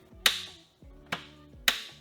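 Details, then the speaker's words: 2015 Audi TTS rollover salvage car, key turned to start in neutral with foot on brake: sharp irregular clicks about every half second from the starter relay, but the starter doesn't crank; owner unsure if power or park issue. "Yeah, it just clicks. So I hear the relay clicking for the starter, but then the starter isn't trying to start."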